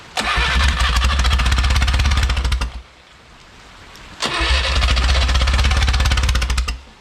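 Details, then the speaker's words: Original Renault 4CV engine (circa 1949-50, welded cracked block) reassembled after ~70 years in parts: two short ragged firing bursts, about three pops a second, each dying after a few seconds; catching but misfiring badly. "seems to be getting better and better i don't think that moved at all"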